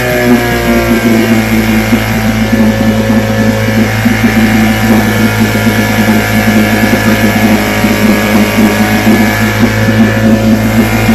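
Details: Vintage two-stroke outboard (restored then repaired), 5-minute run, started after extra primer pumps; steady buzzy drone with an even firing beat, no misses or surges, ran good.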